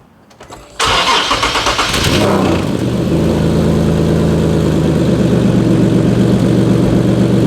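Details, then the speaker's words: Top-mount turbo setup, engine cranks and catches, then idles evenly; a fast, steady puffing tick from a leak at the turbo downpipe that is still there after the repair attempt. "look the down pipe is right here so if there is another leak you're going to hear it let's see"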